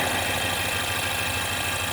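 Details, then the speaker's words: 2016 Ford Mustang 2.3L EcoBoost, replacement engine with reused intake and turbo, 128,572 miles, check-engine light on: steady idle with constant hiss over low rumble; air leak at turbo inlet pipe cracked behind the band clamp. "They reuse the intake, they reuse the turbo. You can hear that. So they reuse the intake and it's broken."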